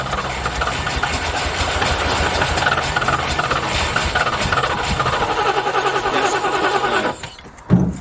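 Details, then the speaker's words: Rover P6 estate V8, five-speed manual, barn find long unused, running on old petrol: lumpy, uneven chuffing with irregular beats and hissy pops, struggling before cutting out; rough running misfire, cause unconfirmed, expected to improve on fresh fuel. "but it's firing though isn't it chuffing like a bloody steam train but it's working"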